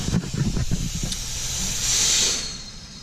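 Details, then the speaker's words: Boost leak test pressurizing the intake with about 15 psi of shop air; sharp steady air hiss from a leak in the charge piping, later temporarily fixed; boost leak hiss. "there's pushing about 15 pounds of boost at the moment i probably will go up a little bit more but i'm gonna plug it in here and you can hear that it's leaking"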